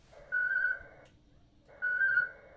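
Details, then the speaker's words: Winlink ham radio email transfer over RDOP: two steady high warbling bursts of about three-quarters of a second each with quiet between, normal modem handshake. "so my email to Oscar Hotel 8 Sierra Tango Nevada has been sent. Now it's sending my request for a news report."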